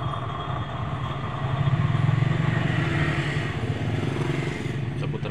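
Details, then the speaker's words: Toyota Vios G, engine smooth until AC is switched on: coarse, gravelly uneven rumble as the pulley spins, from a rough, worn bearing in the outer AC compressor clutch pulley. "begitu kita hidupkan AC baru terdengar suara kasar itu berarti lahar kompresor ASI yang di bagian dalam"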